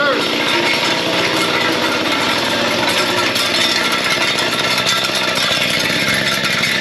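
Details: Mantis two-stroke tiller after replacing its carburetor (C1U-K82/C1U-K54A) because the customer was unhappy after an earlier carb cleaning: high buzzy note holding steady and even, no surging or cutting out; running properly.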